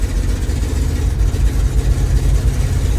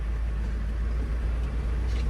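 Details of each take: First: 1982 International 1624 tow truck with a 345 V8, two-barrel carburetor and 4-speed, being driven 300 km home: deep rumble surging unevenly, then steadying as it pulls. It stumbles; owner suspects snow in the carburetor or needs more timing. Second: 1982 International 1624 tow truck, 345 small-block V8, 4-speed, at a fuel stop on the 300 km drive home: steady even low rumble with no stumbles or missed beats, purring like a kitten; running smoothly.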